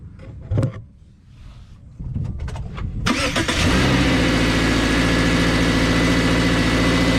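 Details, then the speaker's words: 2019 Subaru Crosstrek after beating bent aluminum Rallitek transmission skid plate away from exhaust: engine cranks, catches and settles into steady even idle with no metallic buzz or rattle underneath; normal idle, rattle fixed. "All right, so no more rattle. I think we got that thing straightened out good enough to pull it away from the exhaust and also just kind of get it ready for another trip."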